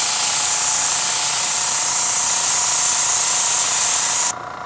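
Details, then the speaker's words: Paasche airbrush on a Master Airbrush TC-40T compressor, paint thinned about 50% with water, compressor kicked on and holding: steady hiss held about four seconds, then a clean cut-off, no sputter; spraying normally. "But it's just proof of concept, just proof that it works. This thing did kick on, and it's holding pretty good."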